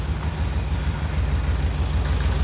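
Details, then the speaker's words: 1978 fuel-injected VW Super Beetle, airbox removed, after a simple ignition fix: first fire-up gives a low, steady, even idle with a smooth regular beat and no misses, knocks or stumbles; engine running healthy. "all right she's she's running I got to put the airbox back on I took that off but yeah pretty simple fix"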